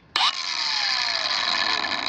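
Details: Kobalt 5-in Cordless Angle Grinder KAG 424B-03 on the new Ultimate Output battery KXB 424-03: it snaps on with a sharp whine, then the pitch keeps sliding down while the paddle switch is held, as if power drops out; grinder cuts out.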